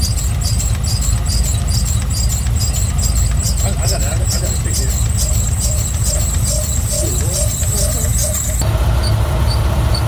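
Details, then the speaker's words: Engine idling and warming up after water pump replacement, no leaks: steady high-pitched squeal over rough idle, suspected from one of the belt pulleys, exact one unconfirmed. "no leaks of course that annoying squeal but I'll do something like that eventually"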